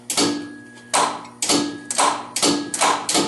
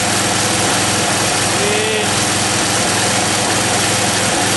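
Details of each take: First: John Deere 111 hydro garden tractor, engine at 90 psi compression, not yet started: sharp click about every half second with faint steady ring; PTO clutch engaging and locking up normally. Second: John Deere 111 hydro fed from a gravity fuel tank set above it, with choke; runs on at a steady idle after a backfire, showing the fuel pump couldn't lift gas to the carburetor: fuel pump failure.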